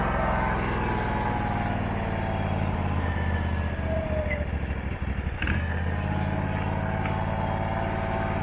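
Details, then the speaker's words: Abandoned Husqvarna mower, possibly a 2002, V-twin, running during a charging check with a voltmeter on the battery: runs steadily, then sags and stumbles before picking up; hesitating under throttle, owner says the carburettor badly needs cleaning. "okay that needs a carburetor clean bad you hear it's starting to not want to go in throttle"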